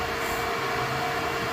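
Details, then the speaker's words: Car with an EFI conversion to MegaSquirt, first start, the ECU controlling the electric radiator fan off the coolant temperature sensor: fan comes on with an even, steady airy whoosh and no ticks or rattles; normal running. "so but yeah so that's basically about it fan came on straight"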